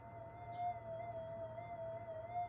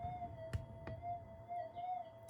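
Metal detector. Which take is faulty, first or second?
first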